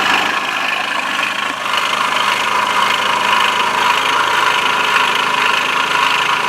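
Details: Bashan BWS 2 scooter, bought new by its first owner, idling: uneven tapping knock about two per second over a thin rattly top end; source not yet found, variator cover to be opened first.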